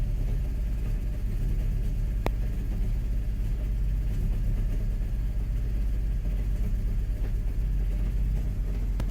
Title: Mk5 gti rough idle cold start after New front and rear PCV